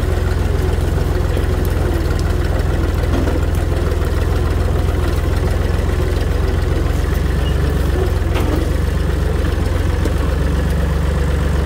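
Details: Tractor running at constant speed after its rotted-off muffler was replaced with a new one with added welded support; deep, steady low rumble, no rasp or blatting; smooth, muffled and much quieter than straight-piped.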